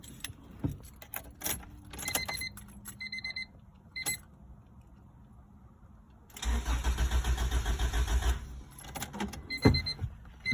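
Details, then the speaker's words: 1996 Civic EX with B18C1 GSR swap, 5-speed: it died while idling, and now two seconds of even starter cranking give no catch. No fuel pump prime was heard. Fuses checked and distributor, fuel pump and relay replaced, still no start. "ran into this problem where I try to start it it won't start listen to this guys"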